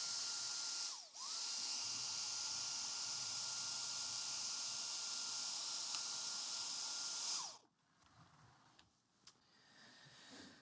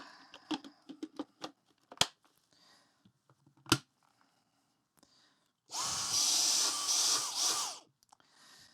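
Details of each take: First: Dyson stick vacuum (V7, possibly DC35 Digital Slim) on the bench, checking for loose connections where the wand plugs into the power nozzle and main unit: steady high whine dips out, recovers, then cuts off as power to the brush roll nozzle intermittently drops. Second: Dyson stick vacuum (possibly V7 or DC35) with brush roll not turning, after reseating a tab that likely caused an air leak; handling clicks then motor whirs up about two seconds with even steady rush; motor running normally.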